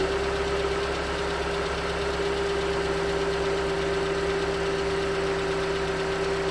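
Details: 2019 Hyundai Tucson 2.0L GDI Nu, 24,000 miles, cold idle on Mobil1 5W-20: light uneven knock about four a second over a steady hum; owner suspects piston slap, slightly better after switching to 5W-30, not confirmed.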